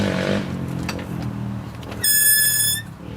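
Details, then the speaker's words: Squeak during brake check after bleeding, pads not yet squeezed; sharp high-pitched squeal under a second; source unclear, owner doubts it is even the brakes, suspects one pad; squeak. "now let's just try a now we haven't squeezed them yet but oh it's still [Music] squeaking oh my goodness what on Earth is that squeaking"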